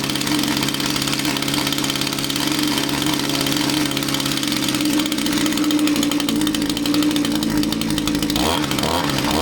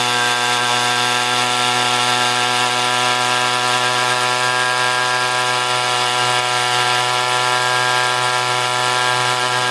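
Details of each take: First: Echo string trimmer two-stroke powerhead: high, buzzy unsteady raised idle that wavers. Loosening the fuel cap made it want to die; not a tank vent fault but the carburetor fuel pump not working, possibly from impulse line or crankcase blockage. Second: Echo string trimmer two-stroke powerhead after replacing an incorrect carburetor gasket, nothing else changed: smooth, steady high-pitched buzz at even speed with no stumbling or surging; runs properly.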